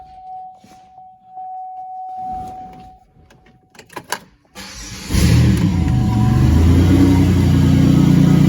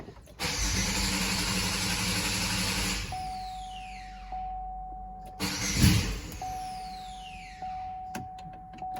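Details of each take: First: 2006 Buick Rendezvous 3.5L with an intermittent no-start, now running fine with the exhaust removed. A brief crank catches into a raw, loud, deep throbbing idle. The loudness is from the missing exhaust; the fuel pump and a burnt fuse are suspected. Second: 2006 Buick Rendezvous 3.5L with an intermittent no-start. After the fuel pump relay is commanded on, the pump is heard priming, then a brief churning crank catches and runs with a steady faint tone, a normal start.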